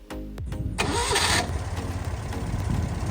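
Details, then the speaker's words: Citroën 2CV flat-twin after tappet adjustment, front engine mount replacement, new contact breaker points and timing set: a brief starter whirr, then it fires straight away and settles into an even, steady tickover. A healthy start. "Fires up straight away. No issues whatsoever. Let's let it run for a bit. Ticking over beautifully."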